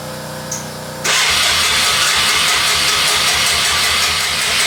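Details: ATV, cranked after priming (the gas had been off): after a click comes loud, fast, uneven cranking that never settles into an idle; it turns over but won't fire. Carburetor suspected, not confirmed.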